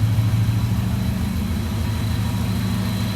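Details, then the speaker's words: JDM Subaru Impreza project after heat shield fixed: smooth, even, quiet low idle with a steady beat and no rattles or ticks; engine running cleanly and healthy. "really not that bad really not that bad at all let's get it down and check the brakes guys check that out how quiet that is"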